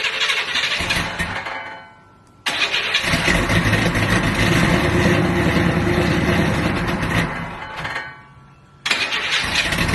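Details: Buick Regal started cold with no air cleaner and a carburetor lacking a choke horn, needing tuning: cranks and catches with uneven, lumpy firing and a stumble before settling; rough cold start.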